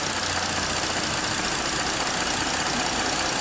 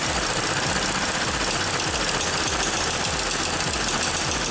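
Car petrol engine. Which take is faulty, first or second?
second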